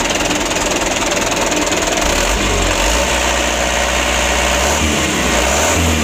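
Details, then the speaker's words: 2008 Mitsubishi Canter 125 diesel at idle after adjustment/tune-up that fixed shaking idle: steady even idle with smooth unchanging beat, no misses or knocks; running cleanly. "untuk penyetelannya sutelo ini sudah sama-sama kita lihat ya alhamdulillah untuk hasilnya seperti ini"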